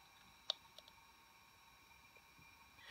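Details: Apple PowerBook 100 Conner SCSI hard drive after repairing a head stuck to its rubber bumpers: a faint, steady spindle whine with a few crisp seek clicks and no grinding. The drive runs and boots normally.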